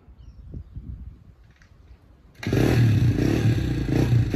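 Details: 1987 Honda XR250 single-cylinder four-stroke on the bench, good compression, leaking fuel tap. After a quiet start, settles into an even, steady thump with light throttle blips; runs clean and healthy, 'like a Swiss watch'.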